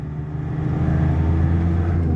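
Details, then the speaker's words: Nissan ZD30 3.0 diesel after repair of the failed electronic box on the rear of the injection pump (had no fuel delivery, wouldn't start): deep drone builds steadily and cleanly as throttle opens, no knocks or misses; revs freely, healthy acceleration. "กเหยียบก็ขึ้นเลยนะครับเสียงไพเราะนะ"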